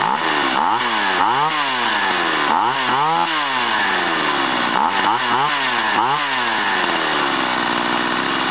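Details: STIHL 028 AV chainsaw, over 30 years old, after carburetor overhaul and adjustment: revs up and drops back cleanly several times, sharp throttle response, steady idle between; running well.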